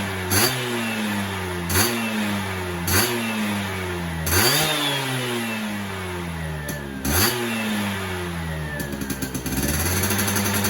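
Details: Yamaha F1ZR 110 two-stroke after fitting a ported cylinder block; crackling idle blipped sharply about five times, revs climbing and dropping quickly; healthy and free-revving, sounds fuller than stock.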